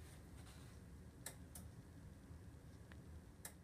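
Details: Sharp relay clicks repeating about every half second over a low hum; 8-9-year-old Samsung LN46A550 LCD TV won't turn on; bulging power-supply board capacitors suspected, two replaced.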